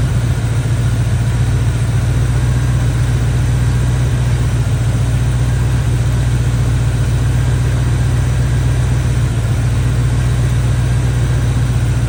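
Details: Barn-find Chevy square body truck with a 350 V8 and automatic, after a tune-up and timing work: a deep, steady idle with an even beat and no misses or knocks. Running decent.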